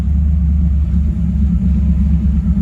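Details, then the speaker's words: 1986 Camaro IROC, warm idle with foot off the gas: low, uneven rumble with dips and surges, wanting to die after idling fine earlier; temperature fine, erratic idle, cause unconfirmed. "as the car idles it just seems like it's moving everything around but see and now it wants to die again i mean it was doing good idling fine see how erratic that is i mean my foot's not on the gas at all"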